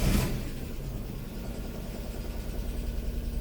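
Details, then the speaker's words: Daewoo Matiz after oil and filter change, start-up: brief burst settling into a smooth even low idle, no knocks or ticks, oil light flickers briefly then out; normal idle. "there we go brief flicker from the oil light but that all sounds good get that oil circulating and we'll turn off again"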